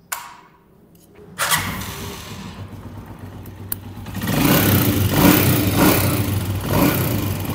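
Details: Honda CG 125 single-cylinder bike started cold: dry steady ticking tappet noise from the valve gear; fix is tappet clearance adjustment with feeler gauge, typically needed after 10,000–15,000 km.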